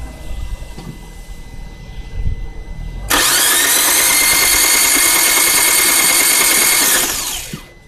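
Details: Fiat 1.4 engine. Loud, high starter whir churns steadily for about four seconds, then winds down; the engine never catches. Crank, no start.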